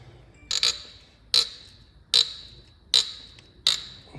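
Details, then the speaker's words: BMW 3.0L diesel, glow plug being turned out: sharp, high squealing creaks about every 0.8 s over near silence. Glow plug seized and binding in its threads. "right let's see if you can hear this horrendous noise oh God then let's just that's both"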